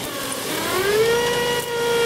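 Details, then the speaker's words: Chrysler Pacifica with erratic speedometer: idling engine with a thin alternator whine rising then holding a steady high tone; faulty alternator induces AC ripple into the output shaft speed sensor signal, flatlining when alternator disconnected. "you'll hear the alternator start whining out and you don't see anything cuz I'm not hooked up"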